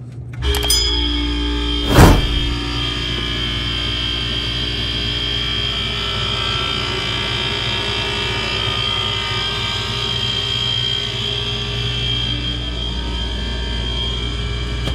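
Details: True T-23F reach-in freezer, very loud when the compressor kicks on; coils, drains and fans look fine, the capillary tube and compressor appear replaced: a sharp thump, then a loud steady hum with a high ringing note. Floodback suspected.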